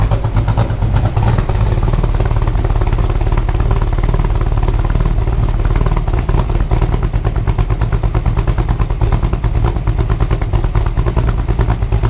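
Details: Superformance GT40 with Roush 427SR V8, during an oil change; deep loud lumpy exhaust pulses at steady idle, strong exhaust airflow, no knocks or ticks; normal idle.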